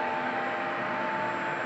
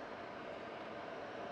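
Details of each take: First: Worn fan motor in a roughly 10–11-year-old IQAir air purifier used about 12 hours a day: steady air rush with a thin, constant whine just under 1 kHz; squeaky sounds on and off, gradually worsening over recent weeks. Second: 10-year-old IQAir air purifier on medium, motor otherwise wearing out with squeaks: even, steady airy whoosh with no grinding or rattle; fan sounds fine on medium, slightly worse on high.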